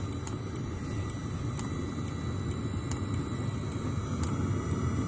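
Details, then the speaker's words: Webasto Thermo Top C heater wired with a simple switch, starting up: even low burner roar with faint regular ticking from the dosing pump, beginning to heat, not yet at full power; normal running, warming up. "là ça commence à chauffer qu'on est pas encore à plein"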